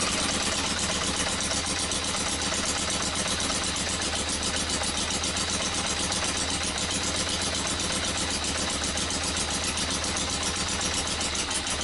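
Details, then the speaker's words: Yamaha XJ900S on first run in 10 years: fast, uneven popping idle with a crackly, spitting edge from the pipes, smoking. Rough sputtering idle. "so I guess that's it we've got it rolling and it sounded all right the pot from the spitter sputter out of these pipes"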